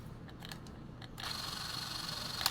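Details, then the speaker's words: Fujica Z800 Single-8 vintage movie camera, run lever pulled out, set to 18 fps: soft steady high-pitched motor whir, running slowly and evenly with no catching; normal operation. "Okay, we've got it at 18. You can hear that moving slowly."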